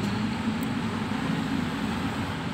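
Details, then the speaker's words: 2015 Xenia 1.0 after carbon-cleaning tune-up and new spark plugs, idle dropped from 1800-2000 to 900 rpm; with AC switched on it rises briefly then holds 900 rpm, steady even low hum, no surges or misses; smooth idle. "Naik sebentar terus langsung kembali di 900 Alhamdulillah RPM sudah stabil dan AC pun dingin"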